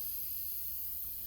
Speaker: Look at that. The TXV nut cracked. See that?